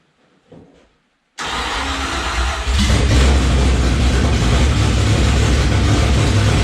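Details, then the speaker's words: Rebuilt engine's first start after sitting since October 2019, coolant about 170°F: cranks and catches within a second, then settles into steady, even low idle with slight rise; normal healthy idle. "Listen to that thing idle. Woohoo! Alright. Coolant temps up to 170."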